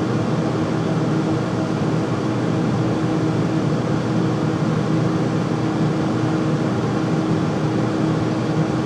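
Constant loud rushing roar with a fixed steady hum underneath, no change over time; the furnace runs noticeably loud, cause unclear.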